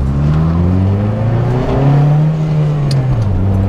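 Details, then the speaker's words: Turbo RT4WD Honda Civic wagon, single-cam engine, after repairing broken (nearly open) downpipe, driving: smooth deep exhaust drone rising and easing with throttle, faint turbo whoosh only; quiet, normal turbo exhaust. "you like still hear the turbo but when you drive it normal Turbo's big quiet"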